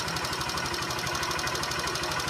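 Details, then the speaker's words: 2014 Honda Fan 125 single idling with a fast, even ticking top-end knock; cylinder kit replaced almost completely, still overheats quickly, mechanic found a clogged passage not oiling one side; cause of knock unclear. "E ela continua com esse barulho e esquentando rápido aqui, ó."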